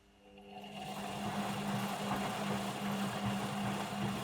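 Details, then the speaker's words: Beko WM5100W 5kg washing machine, found on the street and plumbed in, running a test rinse with rags: motor hum builds over a second, then holds a loud, steady low drone with a faint rhythmic churn. Described as noisy; cause unknown. "so why do people get rid of these things vanity maybe if you had a machine in your kitchen and it was noisy i can imagine you know if you're spending all your time in your kitchen at the moment you really don't want to listen to this"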